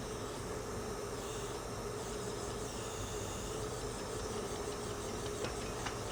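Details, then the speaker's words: 1967 VW engine under leak-down test, engine off, at cylinder number four: steady airy hiss whose change shows air leaking past a valve seat; plan is to back off tension and try reseating the head again. "that's what we're worried about hear that change in the his it means it's leaking between these two"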